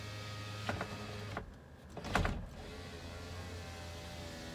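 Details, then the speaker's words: BMW E30 325e (economy) automatic, 1980s, rainy day: driver's-side power window checked, steady smooth motor whir for about a second with no grinding or stalling; window works normally, glass goes down fine. "not bad back one works let's go all the way down"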